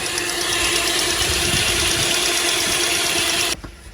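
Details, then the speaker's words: 2010 Chevy Traverse at idle after its power steering reservoir was cleaned. A faint, steady pump whine remains, quieter than before. The whine had worsened over weeks, though the steering itself works perfectly and the lines have no kinks. "Not as loud as it was. Got quiet pretty quick. Feel you can hear some of the whining."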